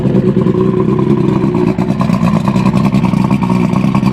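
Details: Evinrude Starflight 100hp V4 two-stroke outboard on mixed gas, out of water, just started on choke: crisp buzzy running, picking up cleanly on throttle with a steady beat and no misses; runs healthy.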